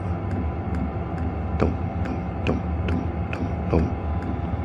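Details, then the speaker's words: Hcalory 5–8 kW 12 V diesel air heater, newly assembled and running at lowered fan speed: crisp, evenly spaced dosing pump ticks, about two a second, over a steady low hum; normal fuel pump pulsing. "It's got a nice rhythm."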